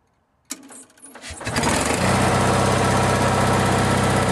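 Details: Onan generator after burnt points were adjusted and gapped: short crank, catches within a second and settles into a steady even hum with no misses; starts and runs fine after the fix.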